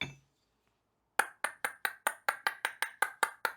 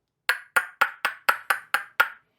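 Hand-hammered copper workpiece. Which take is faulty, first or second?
second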